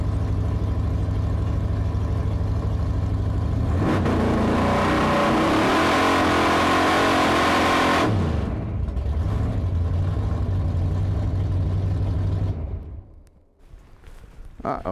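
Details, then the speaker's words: Drag car "Blasphemi" Hemi V8 during a test session: loud roar settling into a lumpy, uneven beat with a missing pulse, still misfiring with two-step off; cause found to be a broken valvetrain part, fixed with spares. "doesn't sound good it don't sound good it sounds like it's misfiring"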